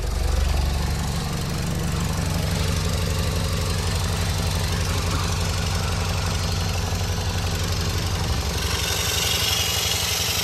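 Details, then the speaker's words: BMW E46 idling, car jacked up: rough puffing chuff about four times a second from exhaust leak at pipe joint, previously repaired sleeve failed after hard driving; to be fixed with a longer sleeve. "but the other day got a bit fun with the exhaust and then it started leaking again"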